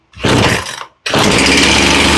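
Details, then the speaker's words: Poulan Pro chainsaw that sat a long time and wouldn't start, primed and choked; short buzzing burst fades and cuts out, then a fresh high-pitched catch, fires but won't keep running. "okay she almost runs we might be able to tune this one and get her running"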